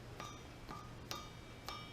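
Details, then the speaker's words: Eagle forged crankshaft for a Mopar 360 small block, struck: four sharp hits each leave a clean, lingering bell-like ring with several tones, which shows it is forged. "eagle uh crank so forged can you hear the ring that's how you can tell"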